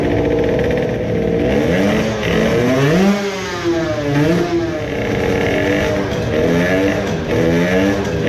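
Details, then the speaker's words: Moped two-stroke on the dyno with a newly made high-power expansion pipe: revs rise and fall unevenly, stumbling instead of pulling cleanly under load, hesitating on acceleration; owner thinks it is running lean again, as before when a larger main jet was needed. "it again had some stuttering. when you start to accelerate, it seems to be "wondering" it is wondering whether to start pulling or not."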